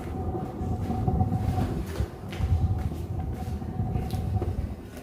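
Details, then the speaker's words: 2017 Toyota Fortuner rear wheel: low rumbling growl with faint pulsing hum from a worn rear wheel bearing, heard in cabin as "wuk wuk" on the highway; other side sounds smooth; replaced with NSK ABS-magnet bearing. "Kalau di jalan tol, roda ini bunyi wuk wuk wuk wuk terdengar dari kabin."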